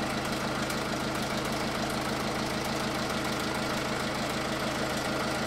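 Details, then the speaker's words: 2009 MINI Cooper D R56 PSA diesel, 136,000 miles: even idle with steady light knock about twice a second, runs but sounds bad; owner presumes cams worn from lack of oil, hopes cleaning oil lines helps. "so i might be able to save this engine so one can hope but at least runs it but doesn't sound very good"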